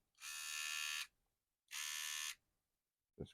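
High buzzing whir starts, runs under a second, cuts out, then returns; the trimmer motor only runs intermittently, likely a poor contact.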